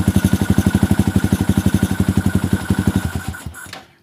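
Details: Yamaha Xabre fuel-injected motorcycle at idle, AFR over 16:1: uneven chuffing idle that stumbles and dies, also dies on slight throttle; lean misfire, fix was cleaning injector, fuel pump filter, throttle body and repairing broken O2 sensor wire.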